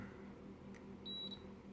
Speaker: There we go. As long as you hear that, it means the wires are good.